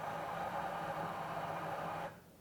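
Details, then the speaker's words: Espresso machine grinder purge after a grind adjustment, grinding into the brewing chamber; an even, steady grinding rush for about two seconds, then a clean cutoff, normal. "to do that we press the grind hopper button what that will do is grind coffee into the brewing chamber"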